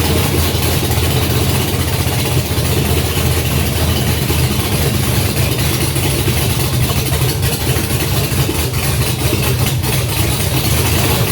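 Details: Junkyard GM LS 5.3 V8 first fire on engine stand with FiTech Ultimate LS kit, 20 psi oil pressure, no coolant, brief run; loud steady idle with even burble, no knocks or misfires; normal idle.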